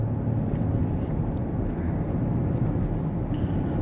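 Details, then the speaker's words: 2020 Chevy Blazer driving on the road after strut replacement and repairs: steady low road rumble with no grinding, scraping or humming; the earlier wheel-bearing noise and backing-plate noise are gone. "all right I think this thing's done I don't hear that noise anymore I don't hear the wheel bring noise or that backing plate noise"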